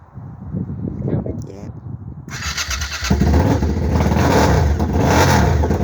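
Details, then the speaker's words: Donor motorcycle engine for a 1968 Fiat 500 project, stored 14 years as a non-runner and fed from a fuel pump in a cup of petrol. The starter cranks briefly, then the engine catches at about two seconds and settles into a steady, even rumble, so it starts and runs healthily. "But I think you can tell from that it fired up lovely."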